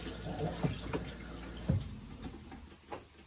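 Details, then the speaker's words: Narrowboat fresh water system with Jabsco pump and accumulator tank on a temporary switch: steady hiss of water into the sink, cutting off cleanly; decent, even flow, accumulator maintaining pressure normally. "So sometimes if you turn it on, the pump will come on. Sometimes you turn it on, it won't. There's a decent flow there."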